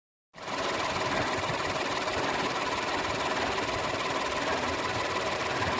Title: bruit moteur 308 II part 2 - compresseur de clim défectueux